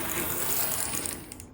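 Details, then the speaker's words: Hawthorne Village ON30 model locomotive after wheel and gear replacement: fine fast rattle with gritty whir fading out, no repeating click; rough gear noise, suspected wire catching or bent pickup misplaced, unconfirmed. "I'm not digging the noise it's making where's that coming from that sounds like maybe there's a wire getting caught somewhere or maybe one of the pickups is in the wrong place cuz they were all bent out"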